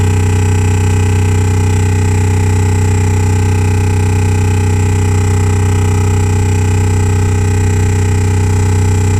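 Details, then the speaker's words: 2015 Renault Grand Scenic with Bose sound system and R-Link: loud constant buzzing/drilling drone from the Bose bass speakers, continuing with engine off; sound system fault, resolved by Renault under warranty. "Sound system. Yeah, it's coming from the bass. Coming from the Bose sound system. There's clearly a fault with the internal sound system."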